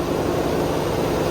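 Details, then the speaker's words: Via Motors VTrux, V6 engine under hood; after morning startup, engine revved with front generator clutch fully engaged, generating electricity: smooth steady hum with fan noise, quiet, no rattle; normal running under load. "this is the clutch fully engaged. This is not the rattle, okay? So the engine is revved up. The engine is generating electricity through the generator."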